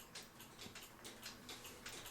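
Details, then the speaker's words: Fiddler cuckoo clock, previously worked on and stuck cuckooing nonstop, running on the weight in use; quiet, light, even tick-tock at roughly four ticks a second, speed not yet set; movement ticking normally. "So the weight that I've been using, which it ticks just fine."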